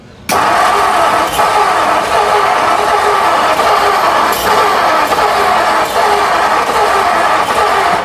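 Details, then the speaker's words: 1957 Ford Thunderbird 312 Y-block, off the road 35 years, cold with choke closed: steady cranking with faint surges but no start. Owner suspects too little fuel, possibly weak spark from the unchanged distributor cap; not confirmed. "No, maybe it'll come around, who knows. But I'm wondering if it's just not getting enough fuel. Needs an extra drink."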